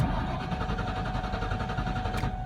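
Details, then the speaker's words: Car suspected of a dying fuel pump, with fuel in the tank and a good battery: steady cranking whir with even starter pulses that never fires; long crank-no-start, hard starting pointing to fuel supply. "it'll be hard starting as it is."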